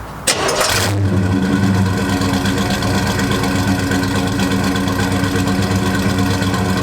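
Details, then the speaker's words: 1972 Chevelle Malibu 383 V8 after fitting Doug's 1 5/8 x 3" headers and Flowmaster 2.5" H-pipe exhaust: deep, steady, loud choppy rumble right after start-up, running evenly; louder inside and out with deeper tone; normal healthy exhaust note. "Like from the outside, it's definitely louder, but even on the inside, you can tell. Yeah, and I feel it's got a deeper tone."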